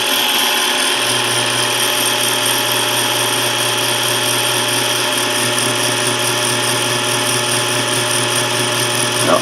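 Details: South Bend toolpost grinder after installing new bearings, first run with pulley slightly off-center: steady high-pitched motor hum, even tone, no grinding or rattle; spindle spinning smoothly.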